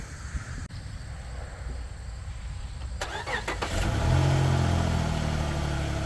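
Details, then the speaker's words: Chrysler 300 daily with stock exhaust, first start after fitting a cone air intake and PCV hose: quiet, then catches cleanly into a smooth, deep, even idle; super quiet, healthy start. "Now this car is super quiet. Don't got no aftermarket exhaust or nothing like that. It's the daily, but we just doing a little bit to, you know, kick it up a"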